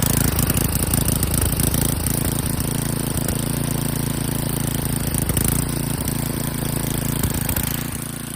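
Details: John Deere 524 rototiller with blown 5hp engine (burnt rod and crank) swapped for an 8hp Tecumseh snowblower engine, just started, run without choke: steady even single-cylinder putter about four beats a second; running healthy.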